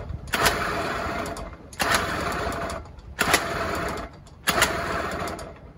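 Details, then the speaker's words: Honda Urban Express NU50 two-stroke scooter, first start after stuck piston and crank: rough rattly running in short bursts dying and restarting; super noisy bottom end, owner suspects crank and bearings, needs rebuild. "yeah that engine needs completely rebuilt it's super noisy don't know how well you can hear it on the video"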